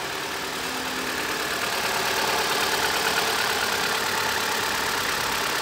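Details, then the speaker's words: Opel Astra with 16XER petrol engine and low oil pressure warning, cold start: steady raised idle near 1500 rpm with an even hum and hiss, slowly settling, like an old choke; normal cold fast idle. "S'il est au gaz, il monte jusqu'à 1,5 tr/min dans les véhicules à essence et diminue lentement. Qu'est-ce que c'est ? C'est comme la fonction starter des vieilles voitures."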